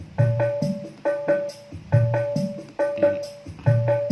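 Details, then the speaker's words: Korg Pa600 keyboard audio output to an external amplifier after repair, previously silent apart from a brok-brok thump: clear, even drum-and-tone pattern with clean sustained notes and no thumping or breakup; output normal and loud. "Kita coba suaranya udah normal. Kita coba, sudah kencang."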